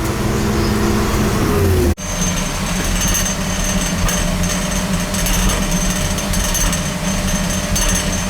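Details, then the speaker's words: Oil burner on an overhead oil line, overdue for service with a nozzle and filter due: a loud, rough, surging roar and clatter. It runs rough because it is starving for oil, and the filter is to be changed first. "Sounds like it's starving for oil. It's an overhead oil line too, so I gotta change the filter first."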